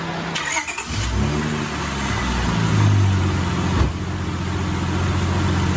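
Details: 2000 Honda Accord V6 whose transmission runs rough when cold, started after the spark plugs were fitted. Short crank, quick catch, brief flare, then it settles into an even, steady low idle.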